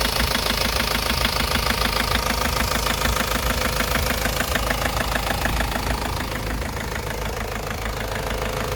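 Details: Ford Focus mk1 1.8 TDDi diesel idling with sharp, even knocks of about three per second that never let up; the knock was later solved.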